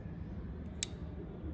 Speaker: can you hear that clicking sound with the open limit switch and on the screen it should say now open